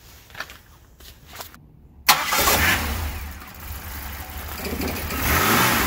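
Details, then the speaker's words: 2005 Buick Lacrosse 3800 V6 Series III, cold-weather no-start, now started with the suspect MAP sensor unplugged so it runs on a default value: abrupt catch to an uneven, wavering idle, slightly rough but running. "run not perfectly normal it's a little bit of roughness on the start but boy compared to where it was with the sensor hooked up where it wouldn't start or wouldn't run at all this is good"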